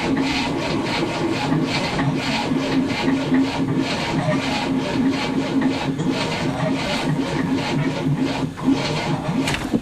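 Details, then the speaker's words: 1967 Cadillac sitting 30 years, on a second battery: cranks slowly and laboriously at about two beats a second, never firing. A timing/firing-order fault is suspected, and the starter is then removed. "he's spinning but [Music] it's just not cranking fast enough to start"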